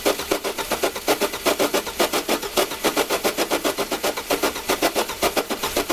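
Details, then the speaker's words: Jump starter with air compressor cranking a car engine: fast, even starter chugging about five beats a second for six seconds; it spins freely with no problem but doesn't fire. "okay wow that was actually pretty impressive uh it had no problem kicking this engine over and it wanted to just keep going"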